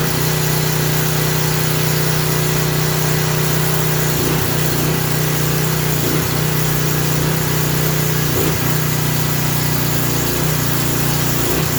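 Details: Craftsman 3000 psi pressure washer engine idling with no pump load, rising and falling every second or two; surge expected to stop under water-pressure load; oil had been overfilled to the top of the dipstick.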